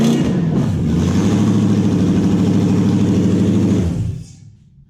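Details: Toyota 1UZ-FE V8 run on a new wiring loom and played over the phone; strong, even roar held at steady revs, then a clean drop with no misses or knocks; healthy.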